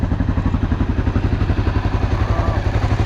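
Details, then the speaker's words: Honda XR650L after the factory decompression mechanism was refitted and the exhaust valve adjustment was fixed, warm after about 15 minutes with the choke slightly on: an even single-cylinder thump of about four beats per second, no knocks or ticks, described as whisper quiet. "That motor sounds whisper quiet. Don't know what he was referring to."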